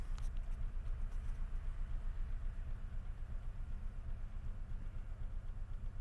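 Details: Unexplained knock at idle with the mirror shaking and vibration in the steering wheel: a steady dull thudding about four times a second over a low idle rumble, pronounced and felt; cause unknown.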